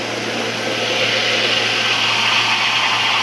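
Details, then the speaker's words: Cooling tower water pump running at the same speed with its discharge partly closed by a butterfly valve, adding back pressure so a restricted, clogged-screen inlet won't cavitate. Steady hissing water rush over a low motor hum, no cavitation crackle; normal running. "you're limiting how much water can go through that pump even though it's running at the same speed and that way if you have a restricted Inlet it won't do the won't it won't act up you know citate or you know do all that weird stuff"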